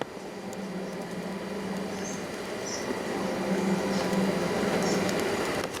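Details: Fisher & Paykel bar fridge converted to 12 volt, after vacuum and refrigerant charge, mic against fridge: steady low hum with faint even pulse, no knocks or rattles; compressor runs normally, not yet very cold.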